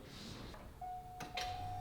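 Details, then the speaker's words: 13B two-rotor rotary-swapped Corvette Z06 with the stock Corvette fuel system run by an Adaptronic aftermarket ECU: after a click, a thin steady hum as the fuel pump primes, expected for 5 seconds; fuel pump priming normally. "We should hear the fuel system on the Corvette prime for 5 seconds, which is the Adaptronic's standard designation, and then turn off."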